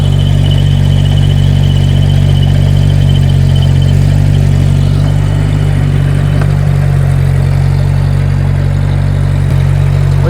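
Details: 10+-year-old speed sprayer (SS기) engine after silicone spray on its squealing belts, including the generator belt: steady, even low drone at idle with no squeal or chirp; runs smooth and quiet.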